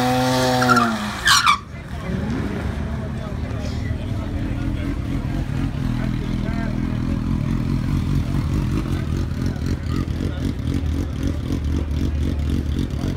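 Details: 2007 BMW 335i 6AT, RB Stealth turbos at 27 psi tapering to 24, 100% E85, JB4, catless downpipes, 1st gear launch on 10.88 s at 126 mph quarter-mile pass: long pull turns choppy and stuttering near the top, a misfire under boost.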